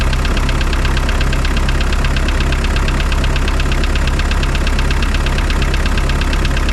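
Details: Spryte snowcat "Rusty" turbodiesel after new OEM Zexel fuel injectors fitted and primed: steady even clatter at idle with deep low drone, no misses or stumbles; idles noticeably smoother, rock solid after acceleration.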